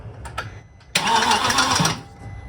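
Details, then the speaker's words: VW Passat W8 4.0L manual, replacement engine just installed, first few-second test start: short crank, then harsh, clattery, uneven running before shutdown; sounds as if timing is out, thought to be dry parts; rough first start. "it sounds like the timing is completely out but hopefully it's okay"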